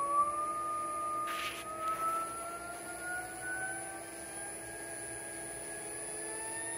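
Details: Porsche 924S EV conversion, electric motor run up toward 6,000–8,000 rpm: clean electric whine rising steadily in pitch, no rattle or knock; normal motor spin-up.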